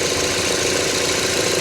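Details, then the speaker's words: Salvage-auction car at a Copart yard, fired right up on its own: quiet, even idle with no knocks, ticks or misses; no leaks seen, though Pennzoil in the trunk hints it may burn a little oil. Normal idle. "okay she's quiet listen to this very quiet fired right up on her own didn't need any help for me yeah not bad not bad"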